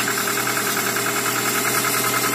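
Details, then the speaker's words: Toyota RAV4 started completely cold after sitting two days without starting, following a temporary fix of the ignition wires; steady even idle, no misses, with a faint light tick the owner attributes to a lifter (compensator); normal cold idle. "Так ну что мотор совершенно холодный Но работает ровно чуть-чуть немножко какой-то компенсатор подступит"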